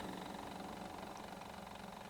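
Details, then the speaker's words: 1980 Kenwood KD-2100 turntable from Goodwill, motor running: constant low whirring hum with faint rapid flutter, louder than it should be; cause not confirmed. "seems to be acting a little funny motor's a little loud as you can probably"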